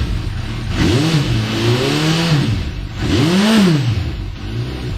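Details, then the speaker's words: Suzuki Bandit 1250 after fitting an aftermarket rear exhaust with its baffle still in: two clean blips from tickover, pitch rising and falling smoothly, deep even note with no rattles; sounds fine. "Okay, well that sounds all right. I think it does."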